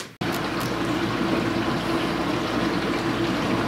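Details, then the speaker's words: Kenmore Ultra Wash dishwasher after repair and reassembly: steady rushing water with an even low pump hum, grinder running with no loud noise, grinding or knocking; normal grinder operation. "I can hear the grinder going but I don't hear that loud noise anymore [Music] so I think this is better"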